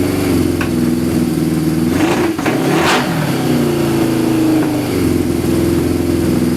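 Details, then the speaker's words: Suzuki GS550 cafe racer with individual pod air filters, carbs unsynchronized, running 2 minutes: steady four-cylinder idle on choke with throttle blips, dies without choke; running lean from pods, rejetting needed. "So as you saw there, it starts. I've left it running for 2 minutes now in total, and it's not idling. So whenever you want to switch the choke off, it kind of dies. It's starving itself of something."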